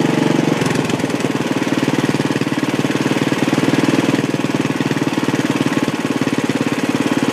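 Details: Old Sears Suburban tractor with homemade propane conversion, running after cold start: steady, even thumping about 220 beats a minute, no misses or knocks; runs very well, a little smoky.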